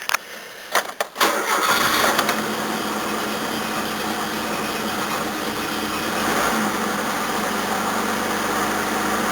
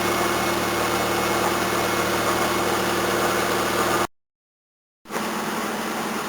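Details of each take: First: 1981 Toyota Corona RT132R with 18R-C engine, cold at about 10° after a cranking start, choke turned down one stage: lumpy, shaking idle with an uneven beat that wobbles the bonnet. Rough idle from overly tight valve (tappet) clearances. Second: 1981 Toyota Corona RT132R, 18R-C engine, after tappet adjustment only: steady, even, faster idle about four beats a second with faint water pump whirr, no stalling or shaking; normal idle.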